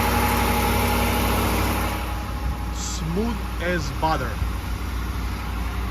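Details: 5.7 Hemi V8 cold start at about 31°F after three days sitting, on Red Line 5W30 with about 600 miles on it, settling into an even, smooth idle with no piston slap, ticking or knocking.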